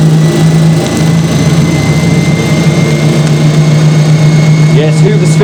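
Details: Hoover Spinarinse 3012A spin dryer from December 1968, test run after drain hose repair with silicone sealant: very loud, steady low motor roar with faint high whine, even and unbroken; normal spin-up.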